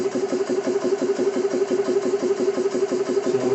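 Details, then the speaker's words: Xisico CS3 4500 PSI 12/110V portable compressor, first startup after oil fill, bleed valve open running unloaded, shutoff set at 4500 PSI, rated about 75 dB: quick even pumping pulses over steady drone; normal running. "compressor's running. They say it's about a 75 decibel for sound value here."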